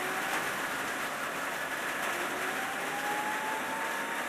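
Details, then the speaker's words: BMW EV conversion, 13-inch forklift motor on new 800 A controller with current-proportional throttle; faint whine climbs steadily as light throttle spins the motor up smoothly, no rubbing or knocking. Normal motor spin-up. "there you hear the motor spinning up there like"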